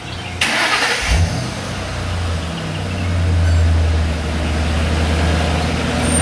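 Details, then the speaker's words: 2008 Ford Mustang GT V8 cranked and revved: lumpy uneven beat stumbling with revs, a cylinder misfire most noticeable at higher rpm; ignition coil packs suspected, cause unconfirmed. "some of you guys that are mechanics you can probably hear when I read the engine that it has a misfire it's really noticeable at higher rpms"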